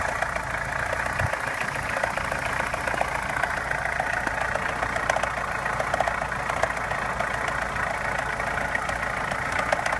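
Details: Opel Omega A Caravan 2.0 at idle with two knocks: a hard diesel-like clatter under a lighter, quicker uneven tapping at about 200 a minute. The knock source is not pinned down.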